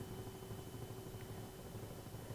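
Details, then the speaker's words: Atwood RV heater blower motor, bench-run on 12 volts after cleaning and refitting the brushes, which previously squealed: steady, even hum with a faint high tone, no squeal or scraping; speed expected to rise as the new brushes wear in. "Yep, she's working. Absolutely no squeal at all."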